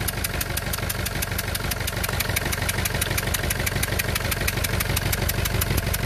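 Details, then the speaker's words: Renault Clio 2 1.5 dCi diesel at idle, engine restarted: rapid, regular sharp ticking over a rough, unstable idle as compression escapes past two failed injector seals on one side, an injector seal compression leak. "donc on avait les deux là qu'ils avaient d'eux qu'ils avaient de la qui habite la compression qui s'échappe qui s'échappe à l'extérieur"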